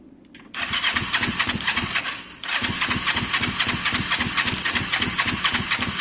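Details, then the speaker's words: Twin-carb motorcycle with the air filter refitted: the starter churns, pauses and churns again without firing, sounding unhappy. Both spark plugs later show good strong spark, so the owner suspects a fuelling problem in the carbs. "it doesn't sound happy at all so alright foreign uh something's changed guys um something's changed you can hear it's just not happy"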